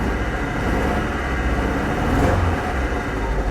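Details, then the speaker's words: Jeep, recently rebuilt engine with a new camshaft and rockers, idling low and rough with a lumpy, uneven beat; misfiring, with oil in the spark plug wells the suspected cause, not confirmed. "I have no doubt that it's misfiring because there's oil in the spark plug Wells"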